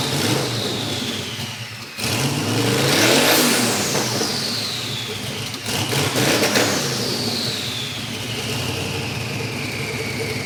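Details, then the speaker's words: Dave's VK Calais, now running after injector and pushrod troubles, gives two clean blips with a strong exhaust roar and no knocks or misfires. Described as not quite supercharged-big-block loud, but loud. Normal, healthy revving. "it's not quite supercharged big block loud but it's it's loud"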